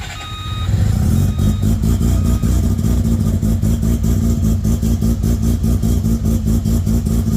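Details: 13B bridgeport rotary in Danny's Corona, first start after sorting wiring, water neck and a no-spark problem, igniters on: brief crank, then a loud, choppy, even run with steady exhaust pulses; runs healthy.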